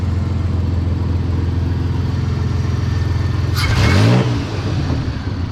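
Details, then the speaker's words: Chuck wagon truck after second oil pump failure in 18 months, oil pump replaced, primed, timing set: steady, even idle then a quick throttle blip rising cleanly and dropping back smoothly; engine running healthy. "Always love that sound. But she's out and running."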